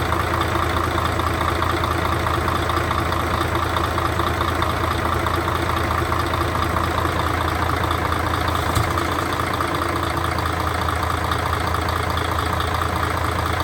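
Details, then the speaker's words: Mercedes Actros OM501 diesel truck after cylinder head repair for intake valve recession and valve adjustment; even, steady idle with smooth low rumble, no knocks or misses; normal idle, runs cleanly. "Vâng, có vẻ như nó đang hoạt động, vâng."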